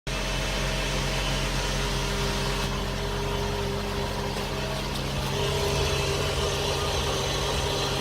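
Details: BMW F10 535i at idle: steady low hum with a faint irregular ticking over a constant tone. Abnormal idle noise, cause not yet identified.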